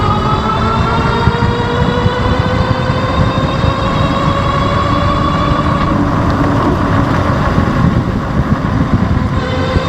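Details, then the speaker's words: Ariel Rider X-Class e-bike hub motor after regreasing its gears, ridden at about 15 mph with the microphone close to the motor. Soft whine climbs smoothly over road noise, no grinding or clicking; quiet and smooth after the grease change. "Cruising like 15 miles an hour and everything feels really smooth. No motor noise or anything, so pretty impressed with the changes I see for only changing out the grease on this motor."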